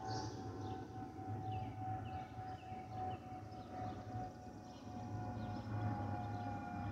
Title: Delta Airlines Airbus A320-212 N362NW DL1167 LGA-DTW (FOPP whistling sound)